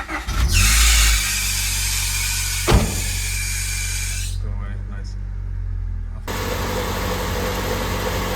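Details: Honda Civic first run after engine work: it catches and settles into a steady, even idle with no knocking, ticking or misfire, and there is no check engine light. A small coolant leak at the intake manifold fitting drips onto the exhaust, so the run is kept short.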